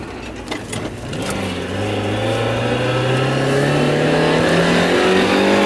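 Uneven, sputtering pulses at the start, then the engine note climbs and smooths under acceleration; sounds like a hesitation and misfire.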